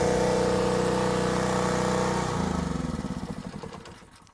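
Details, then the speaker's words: Harbor Freight Predator 4375 pull-start gas generator, just switched from choke to run: it runs steady and even for two seconds, then slows and winds down when switched off, which is normal running before shutdown. "There we go. Our generator started up, and to turn it off, all you need to do is flip that off."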